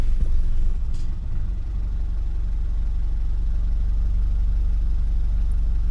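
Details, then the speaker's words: Nissan Terrano after getting it back together and running: idles smoother at about 650 rpm versus just under 500 with shuddering before; deep, steady low rumble around three beats per second, no shudder; normal idle. "got to say it seems like it's running better. The idle seems a lot smoother than before. It's idling at about 650 RPMs or so where it used to idle like just under 500 and like the whole car was just shuttering."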